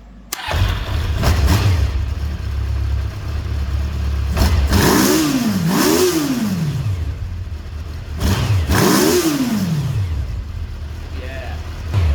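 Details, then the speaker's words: Kawasaki GPZ 600R that sat over a year and cut out after seconds, after carb overhaul and new air filter fitted: even idle, then repeated clean throttle blips without stumble, now taking full throttle; normal revving. "it's running quite nice and now she takes the throttle fully now with the air filter in"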